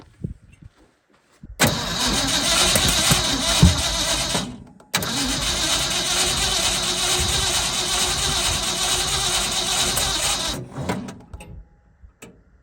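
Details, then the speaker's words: Old Ford F100 bought sight unseen, jumper on battery, about 4 gallons fresh gasoline added: two even cranking bursts, about three then six seconds, never fires; crank no start, fuel smell appearing, cause unconfirmed. "I smell gas finally. Might be getting there."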